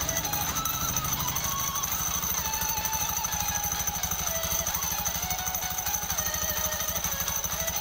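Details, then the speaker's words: Honda Beat CBS scooter at idle, also had a sticking kick-starter fixed by lubrication: fast, hard rattling pulse about three beats a second from the CVT belt-drive side; noisy CVT, cause not yet found before opening it. "Nah jadi seperti itu suaranya teman-teman ya, jadi berisik ya."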